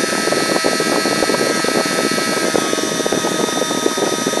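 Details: 3D-printed mini turbine, tiny RC helicopter motor at 3 volts: high steady whine with rough buzzing rattle underneath; the printed turbine vibrating, sounds less bad when held.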